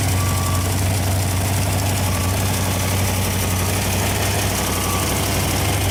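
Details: Freshly rebuilt Ford FE 390 V8 (Edelbrock, fuel-injected, mild cam) on an engine run stand, fully hot after heat soak, holding temperature with oil pressure about 55: deep, even, steady idle with no ticks, knocks or misfires.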